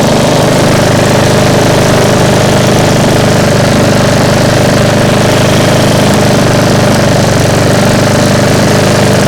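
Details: Restored small single-cylinder engine (fresh paint, reassembled) running about 20 minutes after first start: steady even beat, no knocking, healthy but a little loud, owner suspects a slight exhaust leak; occasionally hunts, cooling air seemed less than expected, no overheating.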